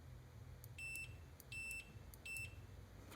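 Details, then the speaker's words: Computer mouse micro-switch tested with a continuity meter: three crisp high beeps, one each time the switch closes, however softly it is clicked; clean continuity. "And it's like no matter how softly I click it, as soon as it makes that sound, it's got continuity."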